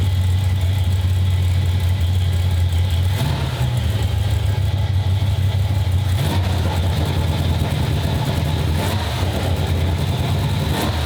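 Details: 1995 Ford Mustang GT, 302 V8 after a carburetor, manifold and fuel pump swap: a lumpy idle that surges and sags every few seconds. Fuel pressure above the 4–7 PSI spec is overloading and flooding the carb; a return line is needed.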